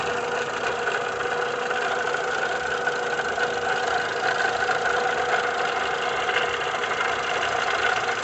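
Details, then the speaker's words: VW Gol G5 1.6 EA111 at steady idle: dry, rough rattle-whirr from the back of the engine, constant with speed; water pump bearing broken, its pulley wobbling, confirmed on removal with heavy corrosion. "100% de certeza que é a bomba d'água que está com o rolamento quebrado."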